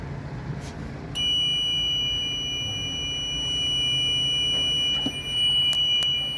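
A piercing high continuous alarm tone starts and holds steady over room noise; the panel is sounding for a zone that has been triggered.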